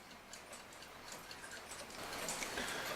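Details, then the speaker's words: Forestville alarm clock after the movement was removed and oiled, running a few days: crisp, even tick-tock about three and a half beats a second, no skips; normal ticking. "otherwise this thing seems to be ticking away just fine it's been a few days now and I guess I'm happy with it"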